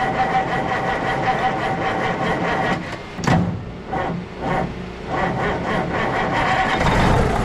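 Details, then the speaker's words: Kenworth W900A diesel after months of restoration, new unbled fuel system, restarted: catches after cranking, throttle blips swell and fall back to an even rumbling idle; starts and runs healthy. "Yes. Well, it runs again. That sound really good."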